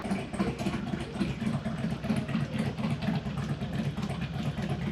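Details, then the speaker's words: V-twin motorcycle at idle after a motor mount fell off; a harsh rapid rattle about four a second over the lumpy beat. Abnormal primary drive noise, suspected blown primary chain, not yet confirmed. "let's make a little bit of noise a lot on Sunday and listen to it and find out right where it's coming from but that sounds pretty bad"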